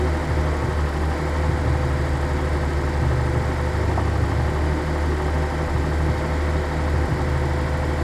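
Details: 1983 Nissan 280ZX Turbo, cold engine: uneven low rumble with slight hunting in the beat, no steady rhythm. Rough cold idle. Cause unconfirmed; owner suspects fuel injector, fuel pump or fuel pump damper, throttle switch or airflow meter binding.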